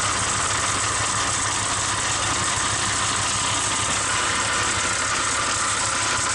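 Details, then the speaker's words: 1946 Dodge truck at its first start in decades: steady hissing whir over an even idle, with exhaust leaking at the manifold; the belt-driven generator is suspected of making the noise, checked by removing the belt. "I think how our noise that generator we're gonna pull the belt off real quick and start it back up"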